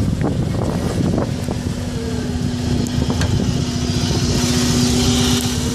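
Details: Subaru Impreza idling with an uneven, stumbling idle and irregular lumpy pulses; an engine misfire at idle. The owner suspects the coils or the MAF sensor, not confirmed.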